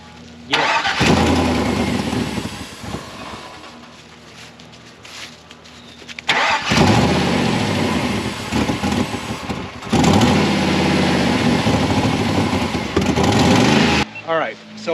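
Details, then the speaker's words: 2000 GMC Sierra, 6.0 LQ4 V8, first start: cranks, catches, revs unevenly, then idle sags, hunts and dies out twice; runs clean above 2,000 rpm but won't idle, cause not yet pinned down. "what we have right now is it doesn't want to idle at all. If I rev it up, uh, it'll it'll stay running and actually runs really clean, like above 2,000 RPM, but it almost it just like hunts and then just like dies out, dies right off."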